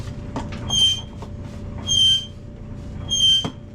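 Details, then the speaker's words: Clothes dryer in a rented home: piercing squeal rising and fading about every 1.25 seconds in time with the drum turning, over a low rumble; cause unconfirmed. "And the dryer just keeps protesting at a high pitch."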